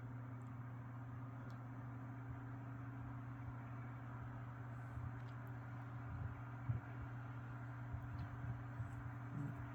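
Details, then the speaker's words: Soft, steady low hum with even airflow hiss, no rattles or ticks, from a circa 1980-81 Lasko 3150A 12-inch oscillating table fan running quietly and smoothly on low; fiber washers worn from use. "low that you would expect from these Lasco oscillators from this time period very quiet low throwing out a pretty good Breeze"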